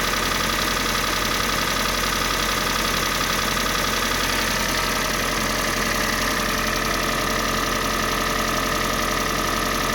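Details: Kia Sportage 3, G4NA engine on Total 5W30 oil: steady idle with fast, fairly even tapping, roughly four per second; engine knock at idle, source undetermined.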